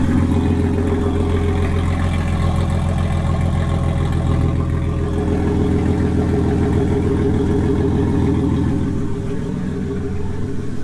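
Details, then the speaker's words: Ford Falcon AU turbo street/drift build, cold start with a 3-inch muffler and the turbo setup just reassembled: a steady, even idle with a deep, regular exhaust pulse and no puffing or chuffing from leaks. Normal cold-start idle. "let's start it um because i'm sure that's what you'll want to hear this is a cold start"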